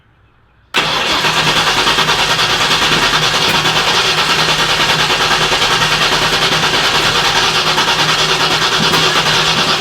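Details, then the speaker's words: Turbo car on E85 with dual-sync distributor, first start attempt: sudden loud backfire while cranking then harsh ragged running; timing way off because spark plug wires were in the wrong order. "backfire yeah that'll wake you up we're missing something here you're definitely getting some fire juice coming out because you backfired yeah time is way off though"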